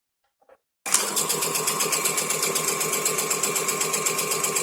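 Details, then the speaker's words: Ceiling fan starting up with a harsh, hissing rattle pulsing about four times a second from a worn motor bearing; fix is removing the cap to reach the bearing at the winding. "చూడండి friends, మనకు ceiling fan sound అయితే ఏ విధంగా వస్తుందో. ఓకేనా friends, ఈ సౌండ్ని మనం ఏ విధంగా reduce చేయాలనేది ఈ వీడియోలో మీకు ఇప్పుడు చూపెడతాను ఫ్రెండ్స్. సో మనం ఈ సౌండ్ తగ్గియాలంటే ఫ్రెండ్స్, ముందుగా మనం ఈ క్యాప్ అనేది రిమూవ్ చేసి వైండింగ్లోకి వెళ్ళిపోవాలి ఫ్రెండ్స్, అంటే బేరింగ్ దగ్గరికి."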